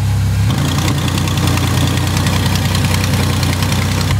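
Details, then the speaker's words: 2000 Pontiac Montana 3.4L V6 on day three of an exhaust manifold leak repair with JB Weld, started in a cold shop: steady low idle rumble with faint rapid ticking puffs; improved, but an exhaust leak remains and its source is suspected. "so that's definitely better but there's still an exhaust leak and I have a good idea where it is"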